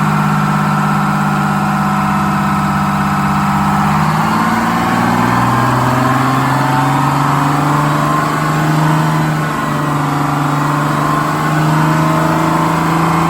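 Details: GM 4104 bus diesel, warm after a test drive, following a transmission swap, new clutch, rear main seal and resealed valve cover gasket. Even, steady idle with a low drone; revs rise briefly and settle smoothly, no knocks or misses. Healthy.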